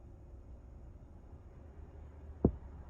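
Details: Aftermarket stereo in a 2013-2017 Honda Accord gives a single soft pop in the speakers, louder in the rear, on power-up; caused by the noise cancellation module under the radio, and unplugging it fixed it.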